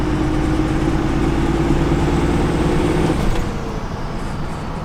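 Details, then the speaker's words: 2nd-gen Cummins diesel truck on the road under load: the turbo whistle rises and falls in a whooping spool as boost builds, then eases off; normal healthy turbo. "That I absolutely love about diesels is when you get into boost, you can really hear the turbo go whoop, whoop, whoop, whoop."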